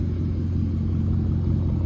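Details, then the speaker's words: 2002 Mercedes CLK430 V8, about 170,000 miles, sat for a couple years and would not start, now fixed, straight piped all the way back: deep, steady exhaust rumble with even beat, no misses or ticks; clean idle. "it sounds good. Straight piped all the way to the back."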